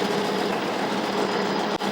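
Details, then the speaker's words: Gear drive being run in on a lathe at about 600 RPM with gears oiled, after gears previously tore up within 10–15 miles: smooth steady whir and even gear hum, no grinding or clicks; no metal flakes found afterward. "No weird noises. Feels nice. I don't hear anything that indicate the gears getting torn up."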